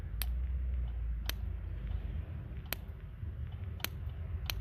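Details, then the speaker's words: Renault 5 (Le Car) with new points, the coil wire held near ground while the distributor is rotated: sharp, irregular snaps about once a second over a low rumble; spark wires are suspected bad: normal ignition spark. "Yeah, I think the wires are bad, but we got some sparkage. That's good."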